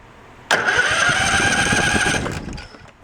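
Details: Craftsman riding tractor, pulled from a backyard, with a rusty part removed. A sudden strong whirring crank lasts nearly two seconds, then fades, with the carb not yet fueled: the starter now turns the engine over properly.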